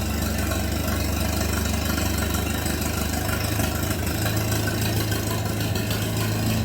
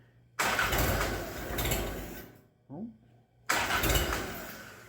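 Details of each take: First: Minneapolis Moline BF tractor after in-frame engine rebuild, no exhaust fitted: loud, open, even chuffing at a steady low idle with no knock or miss; healthy idle. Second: Minneapolis Moline BF tractor after in-frame engine rebuild, somewhat warm, cherry bomb muffler removed: two long cranking bursts, never catches; owner suspects too much choke.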